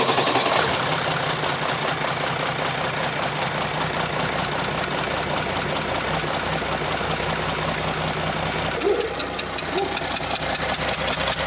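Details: Mercedes OM642 diesel in a Jeep Grand Cherokee WK CRD, after replacing a failed injector gasket that caused ticking and diesel smell: steady idle with ordinary even clatter, no sharp tick or puffing leak; normal.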